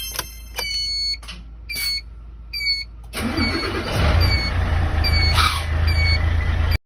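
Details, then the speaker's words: Hino Victor 500 ten-wheel truck, 260 engine, at start-up: harsh whirring grind continuing after firing, as if cranking again; starter motor suspected, weak spring or pinion not retracting. "พอดีลูกน้องแจ้งว่าเวลาสตาร์ทรถแล้วหลังสตาร์ทสิมีเสียงดังคล้ายๆว่าเฮาสตาร์ทซ้ำอีกเทื่อนึงนะครับผมหลังจากนั้นสิมีเสียงดังตามหลังนะครับผม"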